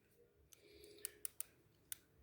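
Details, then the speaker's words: Technics RS-TR212 cassette deck: a few sharp, irregular plastic clicks as a drive gear with broken-off missing teeth skips. "if you look in here you can see that the thing is missing teeth I don't know if you could see it or not but we'll zoom in on it and there you go there's the clicking noise right there"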